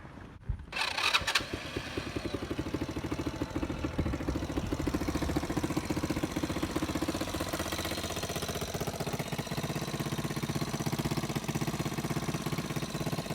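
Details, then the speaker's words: 125 four-wheeler quad, newly acquired and possibly rebuilt, needing a little more work; it cranks briefly, catches and settles into a steady, even idle putter with no misfires, sounding healthy. "She sound good, don't she? Yeah, she sound good. I gotta do a little more work to it though, but she sound good though, man."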